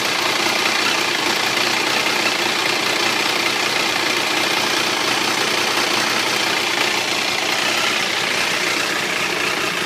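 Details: Triumph 955i motorcycle idling with a busy, rattly top-end clatter; owner unsure if clutch, valves or something else, says it is always present, worse when hot and louder on the left side.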